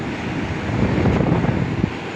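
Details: Old-model Carrier 2.5 HP aircon outdoor unit, cleaned and repaired, drawing about 10.6–11 A against a 12 A rating while still cool. Steady low whooshing hum from fan and compressor, no knocking or rattling; normal.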